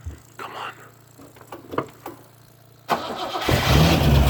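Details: TVR Wedge V8 after fitting Facet red top fuel pump, fuel pressure 4 psi: a few quiet seconds, then engine catches first try and settles into a steady deep idle.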